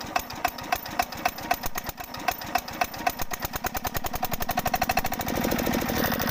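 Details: Field Marshal 5hp single-cylinder diesel engine, new engine with sound problem (fuel pump setting and speed control addressed): uneven thumping about four beats a second, irregular rhythm speeding up; abnormal running noise, cause unclear.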